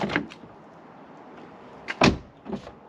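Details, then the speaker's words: Audi TT Mk1 (8N) after fixing the window micro switch in the door lock: door unlatches with a click, then short window motor buzz as glass drops on opening; working properly. "so that is the window microswitch thing done because we've done the whole thing in the end so as you can see now the window actually drops"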